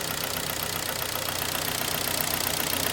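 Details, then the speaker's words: 2011 Kia Sportage 2.0 G4KD with scored cylinders and aluminium transferred from the pistons, seen by endoscope: steady hollow knock about four a second that is loud cold and persists after five minutes; piston slap, engine needs overhaul. "вижу холодный лапы штук барабаны она стук на холодную"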